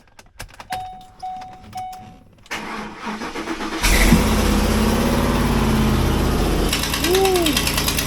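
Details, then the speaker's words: Ford Explorer 4.6L, driver-side exhaust manifold with 3 of 8 studs missing, at start-up: cranks and catches, then a loud idle with a sharp puffing tick. Exhaust manifold leak, with exhaust shooting out around the manifold. "There's exhaust shooting out around that manifold. I don't want to drive it anymore. Not only because it's loud, but because of that chance of losing more of those studs."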